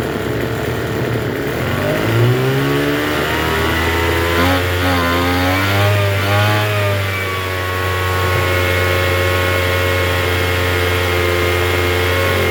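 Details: Troy-Bilt TB272V two-stroke leaf blower after turning the single-D half-moon carburetor mixture screw out about one and a half turns: runs rough at first, then settles into a fast buzzy idle; idles a little high, mixture possibly still needing work.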